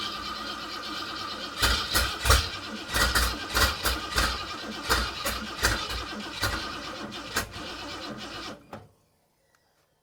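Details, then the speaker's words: Free dump-find Edelbrock carburetor on test engine, fuel poured in top: uneven cranking about eight seconds without firing; flooded, owner suspects floats not working. "I flooded it. It's quite possible that we have to fix the floats. They may not be working."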